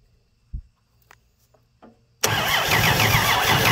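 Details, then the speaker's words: First start attempt of a 239 3.9-liter V6 with a leaking homemade carb adapter: a few clicks, then fast steady cranking at about three and a half turns a second without catching; starved of fuel, so more gas is poured down the intake. "oh it's not doing anything is it so let me give it another just another spritz of fuel here"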